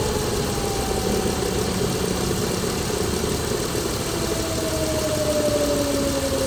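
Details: Chrysler Pentastar 3.6L V6 in a 2017 Dodge Ram 1500 regular cab (labelled 2016), with massive cranking noise on start; even idle with a loose, uneven rattle underneath and a faint slowly drifting tone, abnormal idle noise, cause not pinned down.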